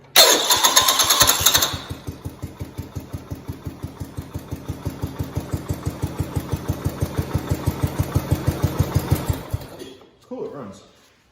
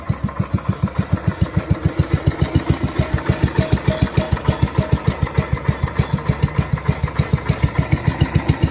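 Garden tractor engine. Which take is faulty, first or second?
first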